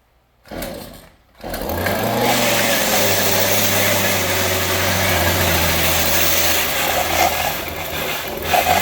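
Small two-stroke starts, then runs unevenly with a wavering, surging buzz instead of a steady note; rough running, cause not yet known.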